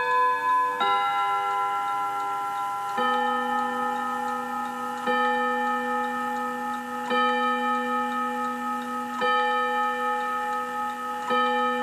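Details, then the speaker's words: 1948 Seth Thomas Westminster chime tambour mantel clock: clear, bell-like chime notes about every two seconds, each decaying cleanly with no buzz or rattle. A healthy chime. "I love that Seth Thomas chime sounds like Big Ben doesn't okay"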